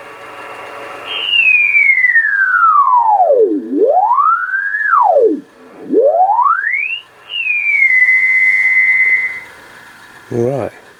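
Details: Old Kenwood TS-520 ham radio, dirty with moisture damage, covers on, upper sideband on 20 m, dial about 14.250, signal generator connected: clean strong whistle swooping in pitch with tuning, little hiss; receiver works normally.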